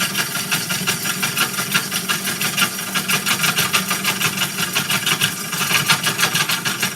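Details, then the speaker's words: Woodturning lathe cutting a walnut bowl: steady cutting hiss broken by a sharp tick about three times a second, once per turn, probably as the gouge hits a crack in the bowl wall. "sounds like I found another crack in there. Let's see. Did I find another crack?"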